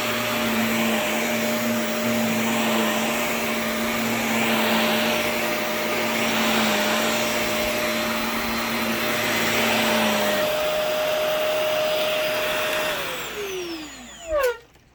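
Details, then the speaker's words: Shark NV355 vacuum after motor main pod replacement: steady motor roar with even high whine, then smooth, slightly strange-sounding wind-down; works, normal running. "whoa that sounded [Applause] goofy kind of a strange motor wind down sound but works huh but hey it works"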